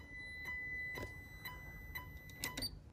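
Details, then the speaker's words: 1994 Precision Power Art Series amplifier (A404/A600) on an amp dyno, dynamic test at 2 ohms, microphone held close to the amp: thin high transformer whine pulsing about twice a second with each test burst; normal transformer sing under load. "You hear that little whine, whine, whine, whine? Yeah, that's pretty cool."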